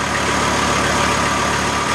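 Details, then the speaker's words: VW T4 AAB diesel van, about 250 km after rebuild, warm idle checked by phone rpm app against spec 850 ±50 rpm: even clatter, steady low idle without hunting; normal idle. "So last idle test, I'm driving it in and we check it again with this is quite nice reading now."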